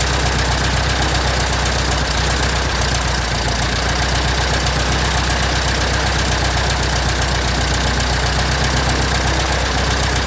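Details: 1967 Citabria restoration, first engine start: steady, even popping idle at about four beats a second, no misses, knocks or surges; the engine sounds healthy.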